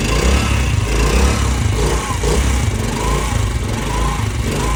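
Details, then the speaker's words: New-model motorcycle that had a bad clutch-side noise, after fitting a new cushion gear: an even, steady single-cylinder beat with no knocking or rattle. The noise is fixed. "तो देख सकते हैं दोस्तों यह वही bike थी जो पहले आवाज पैदा कर रही थी। ये गरारी हमने न्यू डाली और बाइक बिल्कुल ओके।"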